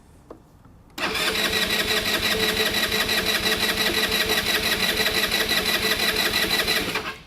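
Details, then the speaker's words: Genuine Buddy 125 scooter after carburetor service with fuel drained, first start, cranking without throttle to keep vacuum on the petcock and fill the float bowl: starter whirs steadily about six seconds without catching. "So, under this first startup, it's a good idea to crank the engine without adding any throttle."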